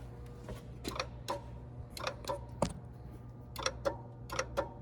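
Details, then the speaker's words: 2013 Mazda CX-5 with AC compressor not turning on: clutch coil powered on and off with a Power Probe, sharp irregular clicks over a low hum; the clutch coil pulls in fine, so the fault may be on the control side. "okay so we know that the uh uh electric coil inside of there is uh creating a magnetic field and pulling the clutch engaging the clutch so we know that that's working"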